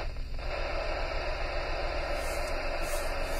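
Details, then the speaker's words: Heard on a car radio on the GB3IR repeater output frequency near a supermarket entrance: a steady mid-pitched howl under the hiss. Interference from outside the car, suspected to come from the store. "that's definitely not this car and it's definitely not anything else it is definitely coming howl in the background"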